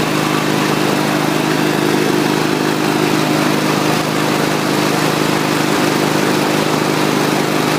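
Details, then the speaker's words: Troy-Bilt TB110 21-inch mower, 550EX 140cc engine: runs steady and even at speed, engine sounds good, but a slightly uneven shake comes from a bent blade. "as far as the running it's it sounds good engine wise but it's got the vibration from that bent over bent over uh blade"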